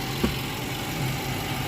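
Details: 2015 Infiniti QX80 5.6 V8 idling after radiator and thermostat replacement and coolant refill: steady, even low drone with no knocks or surges; smooth, healthy idle.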